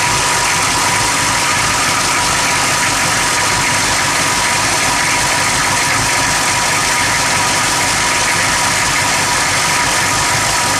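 Engine ticking over with a hissy, uneven note and no steady settle; it's idling rough, cause not obvious from sound alone.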